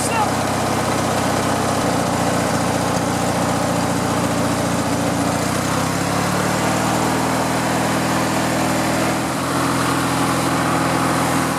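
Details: Riding lawn mower after fuel and electrical repairs, started with choke on and a slightly weak battery: twin cranks briefly, fires up and holds a smooth, steady idle with an even exhaust beat; runs healthy.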